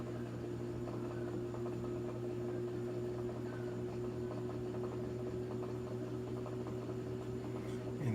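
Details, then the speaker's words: Samsung top-load washer running empty at high-speed spin, previously off-balance: steady motor hum with climbing whir getting louder and faster, no banging or thumping; runs stable. "I can't actually heard a motor here getting louder and louder it's going fast and fast"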